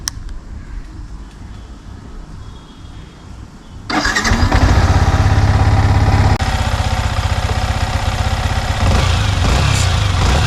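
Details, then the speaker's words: Yamaha MT15 single-cylinder engine idling evenly with no top-end rattle after replacing the faulty cam chain (timing chain) tensioner; irritating engine noise fully removed. "So finally engine का जो noise है वह पूरा remove हो चुका है and engine से currently कोई इरिटेटिंग नॉयज नहीं आ रहा है"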